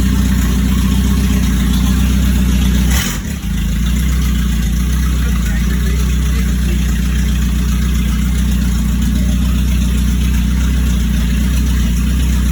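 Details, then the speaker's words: 1996 Chevy S-10 with 2.2 engine, first start after getting a battery and oil: deep, loud, blatty idle with heavy low rumble and no muffling; sounds like the catalytic converter was cut off. "sounds like you done cut the cat off of"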